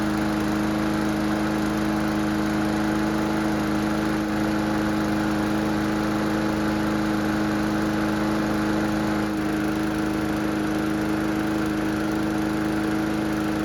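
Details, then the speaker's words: Mower after carburetor repair, on a quarter tank of fuel: a steady single-cylinder drone with constant pitch and no surging or misses. The engine runs smoothly. "So the good news is that the engine starts and runs great, but the bad news is that we're nowhere near ready to sell it just yet."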